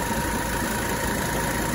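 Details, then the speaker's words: 1985 Mercedes 300TD idling while the AC is being charged with Freon; thin constant whine over the diesel clatter, compressor sounds like it is self-destructing; noisy AC compressor. "this compressor is sounds like it's self-destructing not sounding too healthy"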